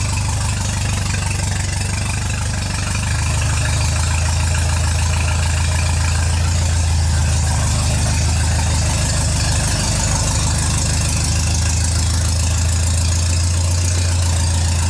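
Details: MGA 1600 roadster four-cylinder during restoration, run on choke with little fuel while testing the cooling system with new 4 PSI cap: steady low, even idle, smooth firing, no knocks or misses; system holds pressure, normal idle.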